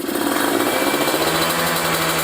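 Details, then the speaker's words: Kawasaki Ninja 150RR two-stroke with a booster/ground cable and cold-range spark plug, engine still cold, revved to 6,000–7,000 rpm: a high, fairly clean rev with slight stumbling. The carburettor setting runs lean, worse when hot; it needs rejetting. "Apalagi kalau dibawa panas-panasan, ini sangat-sangat kekeringan."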